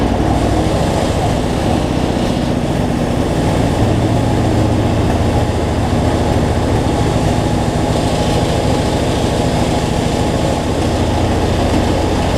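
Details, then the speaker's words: Cub Cadet zero-turn mower, Briggs V-twin, after adjusting a governor that let it race out of control and fixing rich running: steady, even speed, no surging or hunting, no black smoke; runs smooth, battery not charging. "so much better though no black smoke so so all right let's see we got multiplied here so"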